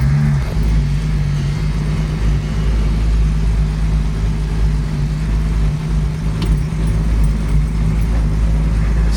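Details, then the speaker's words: 1967 Mustang with a six-cylinder, moving under its own power for the first time in 40 years: a deep heavy rumble at low speed, far louder than a six should be; excessively loud exhaust. "But it's a loud. This is for a six-banger. This is pretty loud."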